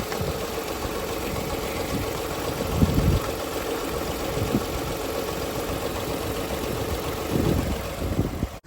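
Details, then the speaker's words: Toyota Kluger that had sat over four years, idling after a short drive, now smoky with a strange smell: an uneven, lumpy idle with a loose chuffing beat and occasional heavier surges; rough idle, possibly low compression. "oh she's a bit Smoky now whoa that's a funky smell it's gone interesting"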